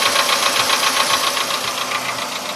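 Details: Volkswagen Polo Sedan engine knock: quick, even ticking over a busy mid-pitched idle, steady throughout; appeared around 61–62 thousand km barely noticeable, now at 67 thousand km sharply louder; cause not yet identified.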